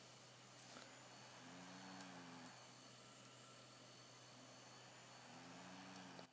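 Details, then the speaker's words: WD My Passport external hard drive plugged in over USB repeatedly whirs then clicks every few seconds while trying to load, and it does not appear in Disk Utility; fault suspected, not confirmed. "now still the clicking sound you can see it just it's loading up and you still hear that clicking sound"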